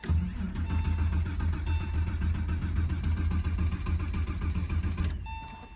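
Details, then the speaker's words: Porsche 996 911 first start attempt in over a decade, after recoding the immobilizer, on a jumper pack, with fresh fuel in a nearly empty tank. The starter cranks evenly for about five seconds and never fires. Cranking, no start; cause unconfirmed. "yeah okay I don't think we're starting which I mean is completely and totally fine"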